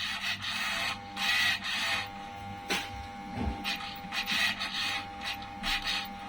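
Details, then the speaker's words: Toyosaki voltage stabilizer powered on with output jumping high and strange noise: repeated whirring bursts of the regulator servo motor driving to maximum without settling, over a faint steady tone; owner suspects overload, cause still under investigation. "tapi proses penstabilan ini saya rasa sih tidak normal ya teman-teman terlihat sampai maksimal seperti itu"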